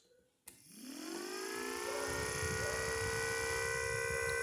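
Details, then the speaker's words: 14-port siren driven by a 12V RS-360 DC motor, rated up to 12,000 rpm, run at 3 volts: click, then a rising wail settling into a steady, clean tone, sounding as it should. "Sounds like it should."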